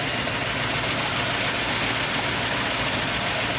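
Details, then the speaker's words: 1989 Sea Ray 340 express cruiser, engines at about 2,000 rpm on the lake: steady run with harsh hiss and raspy chuff; exhaust leak at the manifold or muffler, engine not overly hot, so running gently until fixed. "he so we have a bit of an exhaust leak so we're not going to go too far fast tonight"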